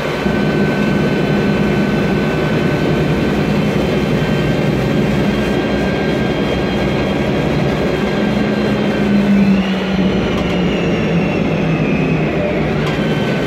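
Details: 2007 MAN Lion's Classic CNG city bus, MAN E2876 LUH03 EEV turbo engine, Voith DIWA 864.3 4-speed automatic, noisy Voith gearbox: steady whining tone over engine rumble throughout the run; transmission whine.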